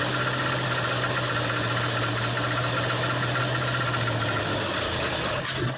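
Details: 1968 Ford Torino FE 390 with an Edelbrock top-end kit, at first start: lumpy, uneven idle with a loose rattle, possibly the header pipe banging the frame; not running right, cylinders being checked, and the cause is unconfirmed.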